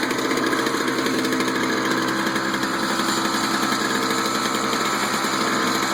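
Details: Toro two-stroke snow blower just after a spark plug change, started with choke out after priming: small two-stroke buzzes at a steady, even speed with no misses or surging; normal running.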